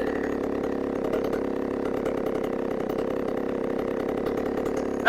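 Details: Two-stroke chainsaw after a new carburetor was installed: steady, even burble at constant idle with no surging or dying, brief blip at end; running about five minutes.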